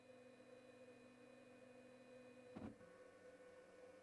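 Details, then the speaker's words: Weedo X40 IDEX 3D printer during bed leveling: quiet stepper hum, then a short gritty grind as both Z screws reach the top and the X-axis syncs itself; normal behaviour. "now that little grinding you heard was actually both Z screws coming into sync at the top."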